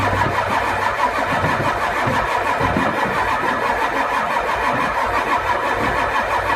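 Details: Ford 7.3 IDI diesel: starter churns over at a steady pace, about ninety pulses a minute, but the engine never fires; cranks, no start.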